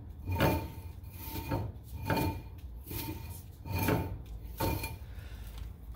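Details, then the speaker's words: 2000 Honda Civic rear drum brakes after new shoes were fitted and the drum refitted, wheel spun by hand: a soft, light, even scraping rub each revolution, the expected slight shoe drag. Normal. "all right guys now we're going to check for how tight our shoes are so all you want to do is spin it and you should hear a slight drag"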